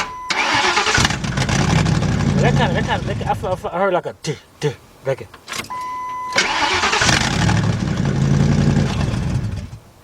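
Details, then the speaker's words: 1997 Ford F-150 4.6 V8 that would not crank, fixed by shifting the selector fully up into Park: short crank, then the engine catches and settles into a steady, even idle; normal cranking and clean start. "so today we had a 97 f150 and the issue was that it wouldn't start when cranked it won't start so it just turned out to be that you have to make sure that you shift us all the way up in part"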